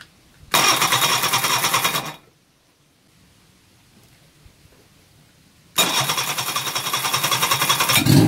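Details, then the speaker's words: Reliant Fox engine, unrun for years, first start on the garage floor after ignition improvements, running on the fuel in the float bowl with the block filled with Coca-Cola. It fires and revs briskly, cuts out, then restarts and runs steadily with no knocks: normal running. "Wow that sounds beautiful it rather late gosh she's a runner and she's running on the fuel in the fuel bowl"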